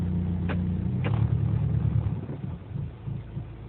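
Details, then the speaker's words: Inspira 2.0 (Lancer GT rebadge), recorded inside the cabin in reverse on a morning start. Low droning vibration hum that lessens in reverse and Drive; RPM is normal. Diagnosed as a failed engine mount, which is then replaced. "So what I found out is that it's most likely the engine mounting that's broken. So just to let you hear what it actually sound like."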